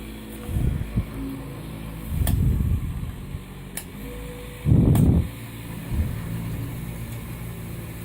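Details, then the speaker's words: Residential boiler after a new return pump was installed and the system refilled and bled: steady circulator hum with whooshing as the burner lights. The flow switch senses water flow and fires the boiler normally; occasional gurgling from air. "hear the boiler start up because there's a little flow switch in the pipes and when uh when it senses flow of water it'll fire the boiler up engage a switch that allows it to fire if it's calling or if it's not hot enough already"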